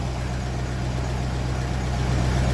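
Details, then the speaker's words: 1957 Ferguson 35 TVO tractor idling while warming up on petrol, with rocker shaft replaced and valve clearances just reset after inlet clearances had grown large; deep, steady idle, tappet ticking fairly minimal; normal idle. "we'll see does that ticking taet sound start coming back into us so the TA it sound it's fairly minimal there at the moment"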